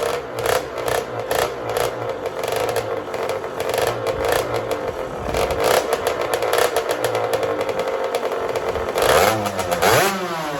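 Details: Custom Honda TRX90 with rebuilt CR85 two-stroke engine, after rejetting from 40 idle/110 main to 45 idle/130 main: crackly buzz climbing cleanly with each blip, no stumbling; jetting now much more spot on, though the head gasket blows shortly after under hard revving.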